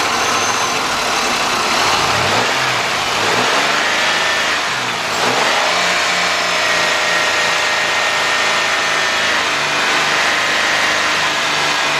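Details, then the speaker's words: 2005 Chevy Impala 3.8 that stalls when warm, started with the mass airflow sensor unplugged as a quick test, burning smell noted: steady idle hum with light hiss, brief rev then settling; bad mass airflow sensor confirmed. "so we got a bad sensor all right we got a bad mass airflow sensor here"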